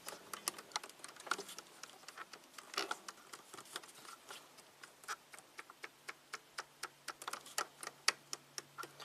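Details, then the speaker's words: 1993 Cadillac Allante Northstar V8, idle speed control motor commanded by scan tool: sharp light clicks about two per second as the pintle tries but fails to extend; idle speed control motor clicking. "It's trying to move. The pintle is not extending. That's the sound I was hearing before."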